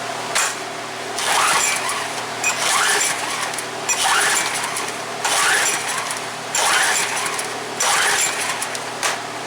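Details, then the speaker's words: Craftsman pressure washer that won't start, good spark confirmed, pulled at half throttle with choke: about six rasping rope pulls with no firing; main jet in carburetor bowl likely plugged, shellacked from gas left in all winter. "My assessment right now is that the carburetor down in the bowl, the main jet's probably plugged up. He's probably left it set all winter with gas in it, and it's shellacked over in there."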